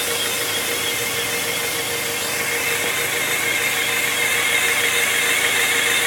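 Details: 1997 Honda Prelude SH manual transmission: thin steady whine above the idle, holding constant, cause unknown; owner says it differs from a previous bad throw-out bearing.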